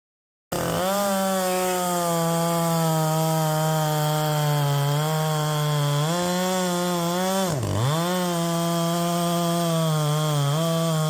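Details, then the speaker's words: Poulan Pro 5020 chainsaw, 20-inch bar, 3/8 chain, cutting wood: high-revving howl sags in pitch and stumbles mid-cut, losing power under load; owner suspects coil heating, spark plug or carb needing rebuild, cause unclear. "so yeah there's something not quite right maybe I need to rebuild that carb um who knows"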